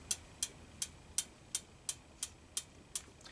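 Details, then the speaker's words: Honda ATC200M three-wheeler, valves adjusted slightly loose: crisp, light ticks about three a second as the exhaust valve slaps fully closed with play in the follower linkage, normal valve clearance tick. "slap like that, that means the valve is completely closed and there is some play in the follower linkage. So, we know the exhaust valve is slapping, which means it's loose enough to close."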